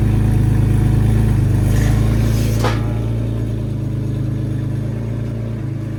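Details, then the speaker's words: 2003 Porsche Boxster S (986S) cold start after both secondary cats (rattling internally) were replaced with test pipes; Krios exhaust mod with drilled muffler. Idle rises with a quick rev and settles smooth and even with no rattle. Normal cold start and revving. "But I'm going to do, this is a cold start. We'll pull it off the jack stands and see how much louder or not the deleting the secondary cats made the car."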